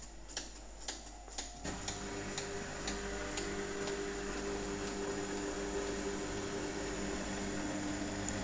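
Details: Hotpoint Aqualtis AQ105D49D 10 kg washer on Cottons 90°C, 1400 rpm spin, SuperWash: sharp ticks then irregular light tapping over motor hum as drum turns; owner suspects something between drum and tub, filter held only hair.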